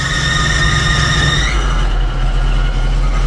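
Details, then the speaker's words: Truck starting after a tune-up with new spark plugs, an oil and filter change and Seafoam in the tank; a brief high whine fades, then a steady, even low rumble with no misses or knocks, sounding much better. "okay let's just give it a little fire one she oh it sounds so much better"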